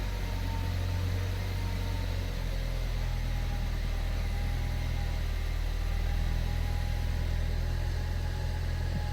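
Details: Ford Focus ST3 after a no-start problem was fixed: a steady low drone with an even beat and no misses or knocks; it starts and idles cleanly.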